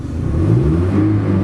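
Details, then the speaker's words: Modified Kia with a carburetor the owner suspects is too small, revved while parked in the car. The note climbs quickly and smoothly with no stumble: a responsive free rev, though the car lacks power under load. "mean, it revs right up. Very responsive."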